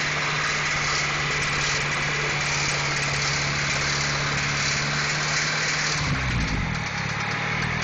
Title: H22 engine knock